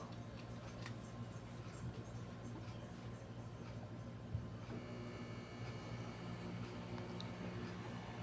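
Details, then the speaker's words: Microwave oven after replacing the magnetron filament, running for 1 minute with a glass of water inside; low, even hum with faint ticking. The previous loud drone is gone; heating is not yet confirmed. Normal running. "So kung napansin niyo mga boss, nawala na yung ugong na malakas."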